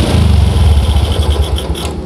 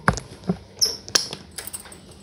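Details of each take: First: Old Yamaha Jupiter MX running without the automatic fuel tap's vacuum hose, manifold port blocked: starts easier and rumbles along at a steady, even idle with no stumbling or popping; normal idle. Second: Old Yamaha Jupiter MX, cold morning, hard starting and stumbling, tested after refitting the carburetor suction hose: handling clicks, then an uneven, lumpy idle that keeps faltering and dies; still misfiring and stalling.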